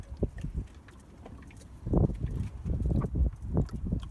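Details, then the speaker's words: Squeezing the big lower radiator hose after filling with antifreeze gives irregular low gurgling bursts; air still trapped in the cooling system and needing bleeding, with a new hose clamp just fitted. "can hear it gurgling is there another hose there too"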